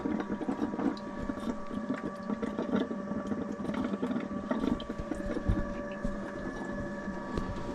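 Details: Motorhome fresh-water pump, system unused for years, after clearing the airlock, water tank running low; steady buzzing hum with light water sputtering, running normally, fault was the airlock.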